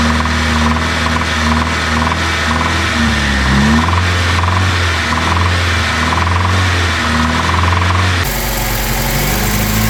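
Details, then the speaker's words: 1997 Honda Civic, 220,000 miles, burns oil, had run down to about half a quart and developed rod knock; after oil change/fix, engine idles steady and revs cleanly with no bottom-end knock; durability uncertain. "But I don't hear the rod knocking anymore, so only time will tell, I guess."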